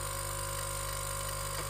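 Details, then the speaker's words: Nespresso U XN250 coffee machine at optimum temperature, descaling with vinegar: steady even pump buzz with no sound of water moving, water level unchanged and none from the nozzle; clogged flow meter stops delivery. "In this case, looks like the unit, it's the temperature, it's up to optimum, and we hear the pump, but water is still in the same level,"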